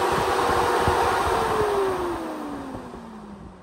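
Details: Replacement SPAL 13-inch brushless sealed radiator fan for a KRX 1000, bench-run: smooth, clean tone sliding steadily down in pitch as the fan coasts, with no rattle or scrape; healthy fan.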